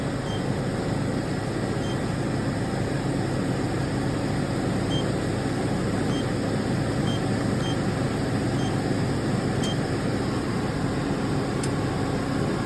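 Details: 2014 Chevy Express van A/C after repair, rear fan on, already cooling, pressures about 160 and 30; even steady blower-and-compressor hiss over engine drone, no cycling or rattle; running normally.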